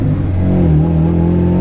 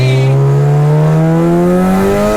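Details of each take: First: Turbo Honda Integra, driven to check earlier gearbox whine and gears popping out: a faint whine rises and falls with revs in first gear; second whines less than before. Owner fears the transmission may need pulling; cause not confirmed. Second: Boosted Honda Integra (Project Pepto) on the road after its first dyno tune; engine note climbs, drops cleanly at the second-to-third shift under boost and pulls again, no grinding: normal shift.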